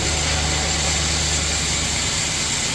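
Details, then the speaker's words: 2005 LS V8, 140,000 miles, with a recent water pump and belt, in a donor truck before removal. Cold start in 30s°F weather, battery boosted. The engine settles into an even, smooth low-rumble idle with no knocks or misses. "Alright, so not only does that battery method work, my LS motor runs cold start. It's really cold today, well, 30s. Sounds great."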